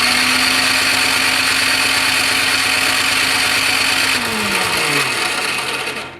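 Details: Toro Power Clear 621E snowblower with 163cc OHV four-stroke, after draining water-contaminated fuel from a leaking carb and tightening a loose plug cap: electric starter whirs steadily with no firing, then winds down. Cranks but won't start.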